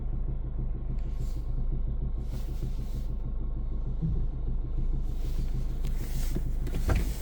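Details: 2014 Hyundai ix35 2.0 diesel, 184 hp, automatic, 166,000 km, warm after half an hour of driving: dull knock about three per second under diesel rumble when stationary or pulling away, up to about 1500 rpm; heard from inside the car, sometimes stops by itself, cause unknown.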